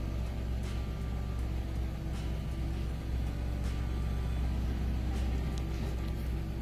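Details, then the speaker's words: Engine with a deep, dull knock tapping through the idle; customer came in for an oil change admitting slack oil changes lately, knock suggesting worn bearings from oil starvation. "Customer came in for an oil change with their engine knocking like this, stating they have been a bit slack on their oil changes lately."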